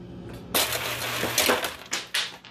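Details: Refrigerator ice dispenser with a crushed-ice option, previously stuck making crushed ice even on cube. The door switch is held to fake a closed door. Irregular clatter of whole cubes dropping down the chute in bursts about every half second; cubes now dispense normally.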